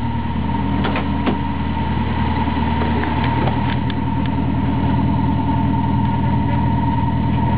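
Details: Toyota 4A-GE smallport with T50 gearbox, just after clutch replacement, idling: faint irregular ticking and rattling about three per second; owner rules out water pump and alternator bearings, source unknown.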